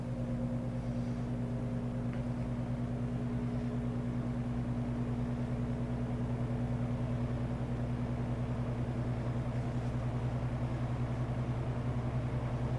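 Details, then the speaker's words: 1963 GE F15W13 electrically reversible box fan on low speed, blowing in; steady soft hum with even low tone, no rattle, tick or wobble; motor has reached low rpm and runs smoothly at steady speed. "It sounds like it's just now up to the low RPM. It's not gaining speed anymore. It's just kind of running at a steady speed now."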